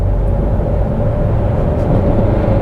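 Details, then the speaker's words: Cheap used Citroen C4 Picasso on a test drive: heavy, steady engine roar under load with a deep drone and no rise in pitch. The clutch is slipping, with a further gearbox or driveshaft noise suspected. "got slipping clutch you hear it slipping clutch and some sort of gearbox noise or drive shaft noise"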